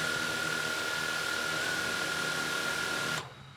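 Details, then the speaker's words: DJI Mavic Air 2 with Master Airscrew propellers idling on a wooden table: steady high whir, constant pitch, no shake or rattle, drone stays in place; normal drone idle. "now here it doesn't appear to shake at all you can see it's setting in one place"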